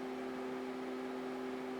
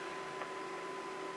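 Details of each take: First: Alienware Aurora R8 with Dynatron cooler fan, CPU pegged at 100°C near 4 GHz, 73% fan speed under full stress load: steady rushing airflow with two constant hums; significantly louder. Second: Dynatron K-21 CPU cooler (8,000 RPM fan, about 8,500 RPM via Noctua controller) in Alienware Aurora R8 under Cinebench, CPU near 100°C: steady thin high-pitched whine, no rubbing or buffing; normal full-speed fan.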